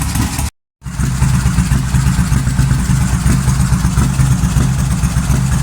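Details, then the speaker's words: 2005 Suzuki Boulevard S83 V-twin motorcycle, sat about 4 years, after carburetor cleaning (rusty gas tank): after a brief cutout, a steady, even low potato-potato thump at idle; sounds good, normal idle. Hydraulic clutch faulty. "well it's running she sounds pretty damn good especially for sitting for about 4 years"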